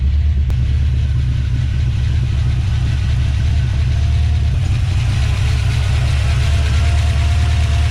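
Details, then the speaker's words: 1970 Plymouth Duster 340, first start: loud, rough, uneven V8 idle with heavy rumble and stumbling beat, clearly missing; owner says it sounds like it has a cam in it, notes heavy blow-by and adjustable rockers; cause unconfirmed. "i don't like this the way this thing sounds that's totally missing now it sounds like it's got a cam in it"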